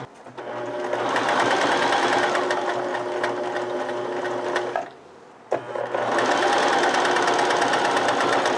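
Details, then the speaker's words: Sewing machine stitching through thicker folded fabric layers: steady rapid clatter pauses, then restarts slower and heavier as the needle labors under the added penetration load while the operator slows down to avoid breaking the needle. "Did you hear the change in sound? And also, you slow down, you adapt, you work with your machine."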